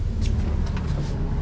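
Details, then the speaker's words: 2025 Stabicraft 2350 with F300 outboard idling on the water after an error code was reset; batteries possibly weak. Low, even rumble with no knocks or surges; the outboard idles smoothly and sounds healthy. "Yeah. And the batteries are weak, too. Probably. There it is. It's working fine now."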